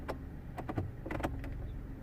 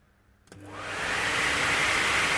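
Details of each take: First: Peugeot 107 HVAC blower switched on: a few short knocks and scrapes, it tries to turn but catches and never spins up; blower jammed by debris. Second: Peugeot 107 heater blower motor, reassembled after cleaning and removing a glove that had been dropped inside and stopped it: spins up smoothly to an even, steady whoosh with no scraping or ticking; normal blower running.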